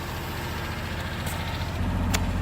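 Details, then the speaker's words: Ford Crown Victoria Police Interceptor, misfiring and out of transmission fluid; barely running, smelling of too much fuel; lumpy, uneven idle with irregular low thumps and a stumbling beat, cause unknown. "it's running but barely stinks like way too much fuel"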